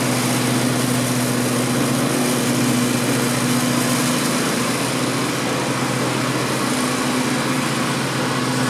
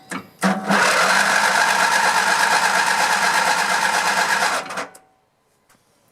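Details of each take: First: 16 hp Vanguard V-twin on a Grasshopper zero-turn mower after a no-spark fix: steady, even drone with no stumbles, knocks or surging while fogging oil burns off; normal idle. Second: Grasshopper zero-turn mower, 16 hp Vanguard V-twin, fed starting fluid: starter turns engine evenly, about three turns a second, for four seconds without a catch; no spark.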